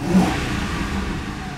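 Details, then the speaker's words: 2009 Ford Crown Victoria Police Interceptor from auction, 4,624 idle hours: quick free rev in park climbs cleanly and settles back, no knocks or stumbles, no bottom-end thunking; healthy free-revving engine. "This one sounds good. Make sure she revs good. And she does."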